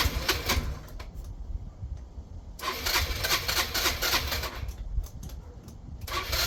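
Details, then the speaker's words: Yamaha Vino 125 scooter on its rear stand: it starts, then catches in uneven surging bursts and dies away without holding an idle. Owner suspects the previously cleaned, very dirty carburetor isn't delivering enough fuel. "It actually started right away at first, but I just don't think it's getting gas like it's supposed to. The carburetor was really dirty."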